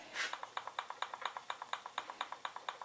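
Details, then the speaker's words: 1800 VW Type 1 stroker engine (74mm x 88mm, Engle FK7 cam) during assembly, cam gear rocked by hand: light crisp ticks about twice a second; small, even, barely measurable backlash, good. "I don't even know if I could measure that but it's there and it's real and it's good"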